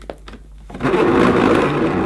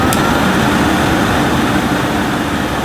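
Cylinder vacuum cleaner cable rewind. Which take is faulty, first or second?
first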